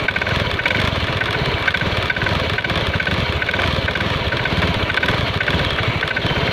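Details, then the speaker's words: Honda Scoopy scooter idle with a light, irregular tapping clack from the CVT belt-drive side. "Kali ini ada Scoopi ee yang punya keluhan bunyi kelotok-kelotok. Bunyi kelotok-kelotok dalam CVT."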